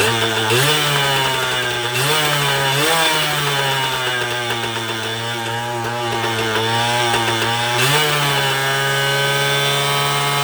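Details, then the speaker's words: 1980 Suzuki TS125 two-stroke after a carburetor clean: buzzes and surges up in revs by itself, holding high and hunting, not stopped by the ignition switch; runaway engine blamed on an air leak, crank seals suspected. "and that my friends is what the problem is here how it throttled up so that's what we're gonna have to diagnose that right there is an air leak at its finest"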